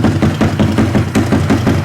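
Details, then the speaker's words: Koso 170cc big bore kit engine (Competition Werkes GP full exhaust, aRacer RCmini ECU) idling cold after the final top-up, warming to temperature before aRacer tuning: even, steady pops about five or six a second, no knocks or rattles, clean smooth idle. "all right guys we're gonna top it off for the last time I think with the mole tool and we're gonna crank it up and let it come up to temperature"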